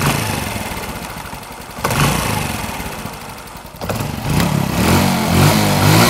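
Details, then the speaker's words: Motorbike engine at idle with quick throttle blips sounds crisp, with only a light valve tick and no knocks or rattles inside the engine; normal running. "Dũng cho nghe cho nghe tiếng máy coi nghe máy thái nổ Máy nổ nghe giòn quá giòn"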